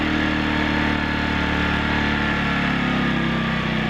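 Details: Portable generator warmed up and idling with no load before its smart throttle is switched on and the solar garage inverter is plugged in: steady, even low drone with constant pitch, no surging or knocking; normal idle.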